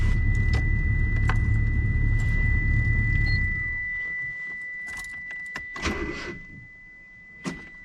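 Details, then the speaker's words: 1986 Mitsubishi Starion, modified, not started in about a month, battery freshly charged but still weak; low laboring crank for a few seconds that never catches, then dies out. No-start from weak battery. "Okay, we've had a couple of test tries. And this battery's pretty weak. So, it did not start."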